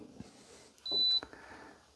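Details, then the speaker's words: Easy Home convection/fan heater that randomly switched off, after replacing failing capacitors, powered up through appliance tester: one clean high-pitched beep about a third of a second at switch-on; normal power-on beep from control board. "This is a little beep alarm thing that sounds when it comes on and off."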